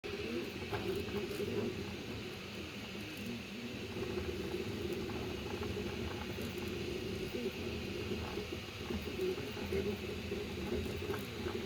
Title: rattling Sound, linear rail, flsun SuperRacer